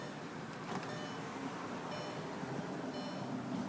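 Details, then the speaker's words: 2001 Audi TT MK1 power window after lubricating the rails, cables and motor to cure jamming and squeaking: smooth, even motor hum with no squeak or jerking. The window regulator now runs freely. "and at first the squeak wouldn't go away but now that I've let it sit for a while and run it it's working really good"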